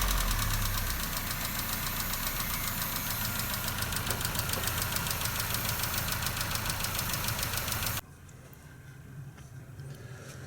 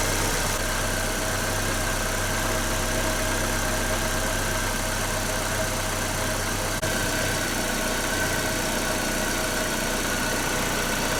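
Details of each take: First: Nissan Note/Tiida 1.4 CR14DE petrol engine idles with a sharp steady ticking, three to four per second, from excessive exhaust valve clearance (0.40–0.50 mm); fixed with thicker tappets to 0.34–0.38 mm. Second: Nissan Note/Tiida 1.4 CR14DE petrol engine at idle after valve adjustment, four worn exhaust-valve tappets replaced with thicker ones (clearances from 0.40 to over 0.50 down to 0.34–0.38 mm): smooth, even idle with no valve tapping.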